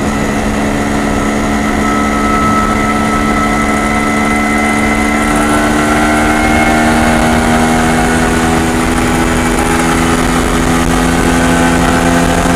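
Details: MZ ES 250/2 two-stroke, Bing 84 carburetor with slightly larger main jet: good at full load but a metallic ringing hum over the drone at part throttle; still lean, pinging under part load.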